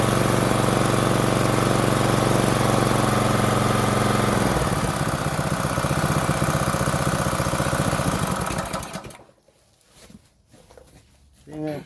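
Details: Small water-pump engine after carburetor cleaned in place without removal, started with choke and slight throttle: even, steady beat with no misses, then winds down and stops; runs healthily.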